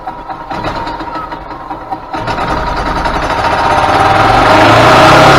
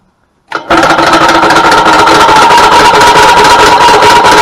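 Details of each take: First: 2000 Yamaha G16A golf cart engine after rebuild, which came in making a very loud racket and would not go; fresh oil, filters and spark plug; catches after a few uneven firings, then climbs smoothly with no knock; running healthy. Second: 2000 Yamaha G16A golf cart engine, loud racket and won't go: loud fast hard clatter about three knocks a second from start; suspected broken connecting rod cap letting the dipper hit the block, not confirmed.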